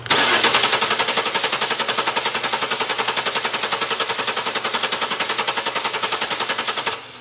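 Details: Starter cranking during voltage drop test, 0.06 V measured on the ground side against 0.2 V maximum: fast, even cranking near four compressions per second for seven seconds; normal starter cranking, ground circuit healthy.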